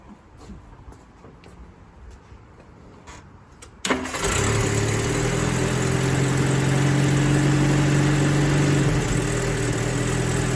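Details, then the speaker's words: Rover P4 80 started after new ignition leads were fitted for pinging and a suspected insulation leak; it cranks, catches straight away and settles into a steady, even idle, a success. "Like a good, great success."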